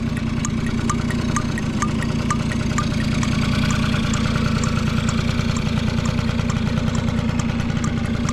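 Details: Vintage Honda Squash (AB11-1064) 12V moped with electric starter, running test: small single idles with a quick, even putter around three beats a second, no knocks or rattles; no abnormal engine noise, quiet and healthy.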